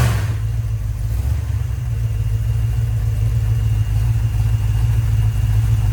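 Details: Rebuilt 1990 Mopar 318 small-block V8 from a D150 truck (Comp special-grind cam, Air Gap Magnum intake, new Rock Auto parts), first run, warm around 175°F, 15° initial and 33° total timing; smooth steady low rumble, nothing knocking or ticking, healthy warm idle.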